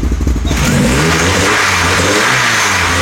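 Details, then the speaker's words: VW Golf GTI 1.8 16v on a dyno during camshaft comparison (KR, ABF, Schrick), warming up: revs climb smoothly, then a droning resonance swells around 3000 rpm, the same as with the ABF cams; source unconfirmed. "Vous entendez vers 3000, il y a une résonance. Elle est là, c'est la même avec les arbres d'ABF."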